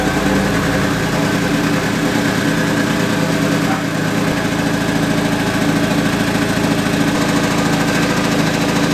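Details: MK2 Golf with swapped 1.8T engine and 02J transmission: uneven knock of about three beats a second over a steady idle; goes away with the clutch pedal down, owner suspects flywheel or clutch, unconfirmed.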